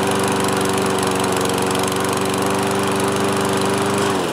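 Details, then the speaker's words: Toro Recycler 22-inch mower, single-cylinder Kohler with automatic choke, after repair from four years unused: steady even drone of constant pitch, no misses or surging, then winds down cleanly; normal running. "all right one pull and it's back up and running"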